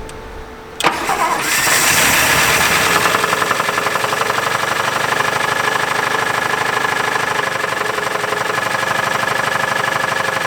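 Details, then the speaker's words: 1959 Buick 364 Nailhead V8 at its first start since the early 1970s, with a quiet exhaust: cranks, catches and fast-idles with a light steady tapping; suspected rod knock although the oil pressure gauge reads halfway. "that thing sounds really bad well she's uh the exhaust is quiet anyway yeah it allows you to hear the horrifying rod much better is that rod knock"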